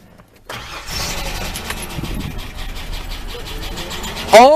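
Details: Project Ford Explorer after its 23½-year-old starter motor was replaced with a new one: a steady starter churn for several seconds with no firing, then it stops. The engine cranks but won't catch.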